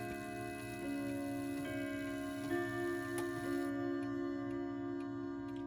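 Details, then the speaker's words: Vintage French Franz Hermle Boulle-style clock, wound with key, minute hand advanced to half hour; steady ticking about three per second under clear sustained bell tone; normal half-hour chime. "that's the half hour, and we'll advance to the 45-minute mark."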